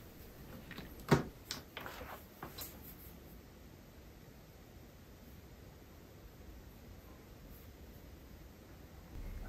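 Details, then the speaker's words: Old Dell Inspiron laptop after replacing its jet-engine-loud fan: a few handling clicks, then near silence, the new fan whisper quiet with no whir or rattle. "wow. Listen to that. Or rather. Don't. It's whisper quiet. Seriously. This one feels brand new again."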